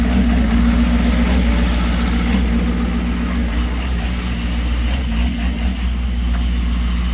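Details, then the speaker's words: Ford F-550 truck with warm engine: deep lumpy uneven idle pulsing three to four times a second; rough idle only once warmed up, cause unknown, going to dealer. "that's what the truck's doing when after the motor's warmed up I have no idea what's going on"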